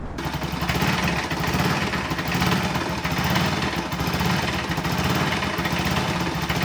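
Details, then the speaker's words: Bajaj Pulsar NS200 BS4, bought August 2017, 75,000 km, weird sound began after a service: rough clattery running with uneven knocking over busy mechanical rattle; crankshaft bearing, timing chain, head valves and bore all found worn out. "ಏನು ಗುರು ಇದು sound ಅಂತ ನೋಡಿದ್ರೆ, engine ಒಳಗಡೆ ಇರೋ parts ಎಲ್ಲ ಉಜೋಗ್ಬಿಡೈತೆ. Crank shaft ಬೇರಿಂಗಿಂದ ಹಿಡಿದು timing chain, ಆಮೇಲೆ head ಹತ್ರ ವಾಲ್ವು, ಹೆಡ್ಡು, ಬೋರು ಎಲ್ಲ ಹೋಗ್ಬಿಟ್ಟಿತ್ತು."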